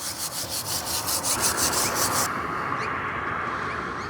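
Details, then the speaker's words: LDV Deliver 9 courier van, wheel turned by hand: harsh rasping scrape pulsing about three times a second; brake pads worn down to metal on the inside, rotor cooked and scored. Pads probably last about 40,000 km on these vans. "Obviously, this rotor is cooked and on the inside is metal on metal."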